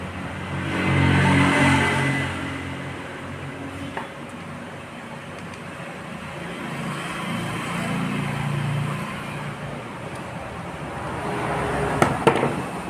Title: Honda Dio misfiring